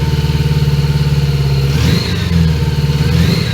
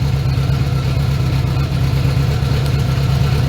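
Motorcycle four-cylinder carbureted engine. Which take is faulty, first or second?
first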